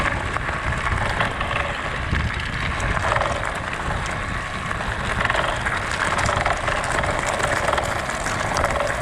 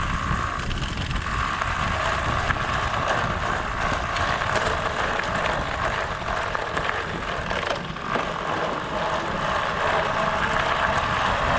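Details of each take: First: Pletscher Esge bicycle kickstand riding over rough ground: fast, uneven metallic chatter over rolling tyre noise as the loose kickstand rattles metal-on-metal against the frame; kickstand rattle. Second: Bicycle riding over gravel with Pletscher Esge kickstand after tape fix: steady crunch and tire rush, no metallic pinging or rattle; kickstand quiet, fix expected to last only a week or two.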